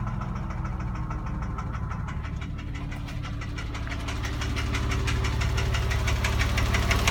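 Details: 2006 Porsche 997 3.8 flat-six at idle with a steady, fairly regular light knock about three per second; suspected piston slap (kolbenkipper) or hydraulic lifter (hydrostössel), not confirmed.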